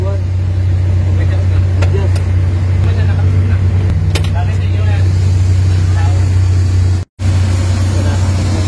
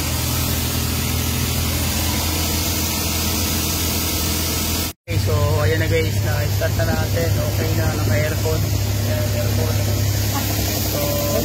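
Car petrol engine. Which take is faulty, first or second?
second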